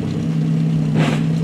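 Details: VW Gol G2 (Gol bola) manual: a steady engine drone broken by a brief harsh grinding rasp as third gear is engaged. The gearbox is hard to engage and the lever jumps; the cause is suspected, not confirmed.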